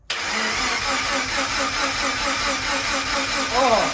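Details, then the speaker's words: Rotary 13B swapped Subaru BRZ, first crank: quick even cranking pulses with steady rhythm, no knocks or grinding, sounds healthy. "bro that sounds like a healthy that sounds real healthy I'm not even going to lie bro I have no idea if this is going to do anything at all but I'm I'm hopeful"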